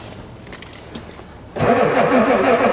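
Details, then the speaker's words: Ford diesel truck at +4°C, colder than it has ever started, cranks evenly on the two best batteries after installing a new glow plug controller but never catches: no start. The controller never clicked, so the owner suspects it doesn't work. "I don't think it works it never clicked once [ __ ] it's got a solenoid on it it should at least click oh well it was worth a try I'll crank a bit longer come on come on well that was my two best batteries a no luck"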